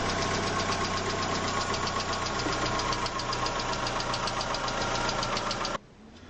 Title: Как узнать какой гидрокомпенсатор стучит😈💪